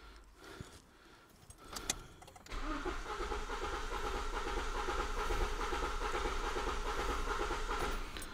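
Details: 2007 Toyota Corolla 1.4 petrol cranking with number one spark plug removed and injectors disconnected, relative compression test: steady starter churn with uneven, lopsided beat where one cylinder gives no compression; dead cylinder.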